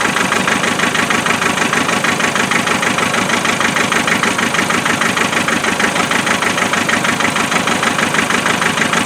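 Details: Land Rover 2.5 naturally aspirated diesel at cold idle after glow plugs: uneven regular pulse about twice a second, a steady stumble from a misfire; traced with thermal camera and injector spray tests.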